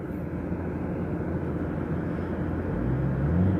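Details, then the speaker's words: Jeep ZJ fuel-injected gas engine idling after a cold start at about -21°C, with the windows frozen and the rear defogger on: a steady low rumble with an even, unhurried beat and no knocks or squeals, a normal cold-start idle. "And we're just going to let this engine warm up and thaw out the windows here."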